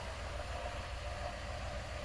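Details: 1997 Dodge high-roof van with 360 V8 and automatic, sat about five years, started after fresh battery: low, even V8 rumble at steady idle with no misses or knocks, running smoothly; normal idle.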